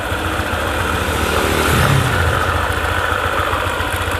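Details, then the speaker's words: Honda ADV 150 scooter idling. A rough krek-krek crackle comes from the CVT area at about three to four rattles a second. It disappears when throttled, then returns after a while at idle. Cause unknown; CVT not yet opened. "Nah, perlahan bunyi krek krek. Nah gitu suaranya, ada krek-kreknya. Coba digas lagi, hilang. Tapi nanti agak lama dikit, bunyi lagi, bunyi krek-krek-krek."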